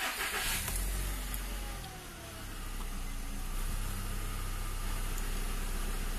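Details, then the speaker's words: Škoda Octavia II with a fault where warning lights stayed on and the engine would not switch off, after repair: lights on, fuel pump whirs, in neutral, quick clean start settling to a smooth idle; normal start and idle. "Kontrolky svítí, zavrčilo čerpadlo. To je dobře, neutrál."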